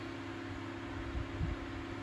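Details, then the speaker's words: 1980s Sanyo 9-inch oscillating fan (2-speed shaded-pole C-frame motor), unoiled before restoration, on high (speed two): quiet, steady whir with a soft low hum and only a faint wobble; shakes a little but not too bad; runs smoothly. "not bad at all it shakes a little bit but not too bad"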